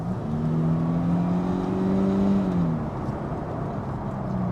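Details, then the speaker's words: 2000 Mercedes SLK 200 Kompressor (R170) on a dual carriageway under kick-down: smooth engine drone rising steadily at full throttle, brief dip at the shift, then pulling cleanly again; healthy acceleration that sounds faster than it is. "It sounds faster than it is."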